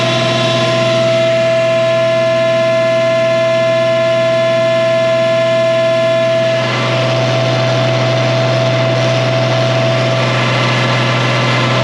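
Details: 1966 IH 1206 Wheatland diesel tractor on dyno after head gasket repair, coolant warm at 160–170°F; full throttle about 75% load; steady drone with constant whine, even and clean, no knocks; normal running.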